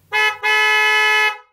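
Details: Dual-tone trumpet horn, tuned a minor third apart: two clear toots, short then longer, bright steady pitch, clean cutoff; normal dual-tone horn.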